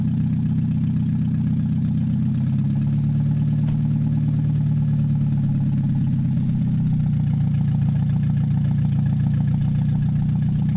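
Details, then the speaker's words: Mazda 626 first start after cylinder head reassembly, warming up: low idle rumble whose pitch wanders up and down every few seconds at really low rpm; fluctuating idle, owner suspects bad EGR or old gas. "it's got a little bit of fluctuating idle and really low RPM"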